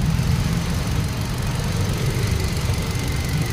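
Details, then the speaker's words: 2020 Hyundai Accent petrol with P0300 misfire after ignition coil replacement and ECU code clear: smooth, even idle with no popping or skipped beats; check engine light gone, no misfire. "so stable stable na Nawala yung check engine nawala na yung check engine tapos iangat natin to dapat may ay pumuputok putok dito Wala"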